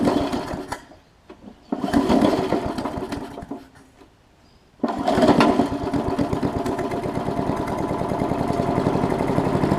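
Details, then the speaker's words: Briggs Classic engine from sat-out Murray push mower, compression good but oil soaked in plug and cylinder: sputtering pull-starts and stalls, then catches and chugs unevenly with lumpy beat, expected to smoke while burning off the oil. "i'm just going to see if it'll crank and run it's got compression so that's good so not at the moment it looks like so let's uh get a little bit more to see if it'll overcome the oil situation"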